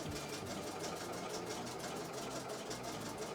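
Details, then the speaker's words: Embroidery machine being tested before going out, filling in blue. Quick, even needle chatter at a steady pace with no knocks or grinding. Normal stitching. "but see it's just filling in the um the blue there slowly but surely"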